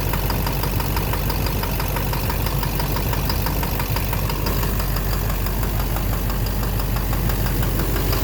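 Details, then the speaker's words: 2009 Silverado 3500 Duramax LMM diesel dually, 59,900 miles, idling: irregular light knock about twice a second over steady idle; owner suspects the back of the bottom end near the oil pan. Oil analysis shows no abnormal wear; intermittent since 57,500 miles. "Sounds sort of like the bottom end. I don't know. Something. Like something in there. The back of the bottom end."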